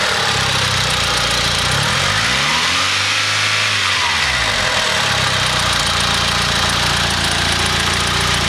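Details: Mitsubishi 4G63 engine (EVO 3/DSM) revving and dropping back to idle: a dull knock underneath. The owner suspects a spun bearing, unconfirmed.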